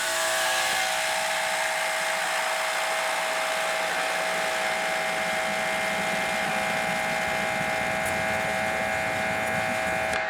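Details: Dewalt 2400psi electric pressure washer, 25 degree nozzle flow test into a bucket (about 1.125 gpm): steady even motor-pump hum with constant spray hiss, no surging or pulsing; running normally.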